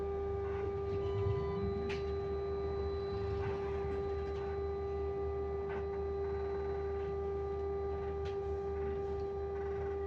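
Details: Stagecoach London North bus SLN 82060 on route N199: steady mid-pitched whine holding one pitch that does not follow engine speed; source unknown.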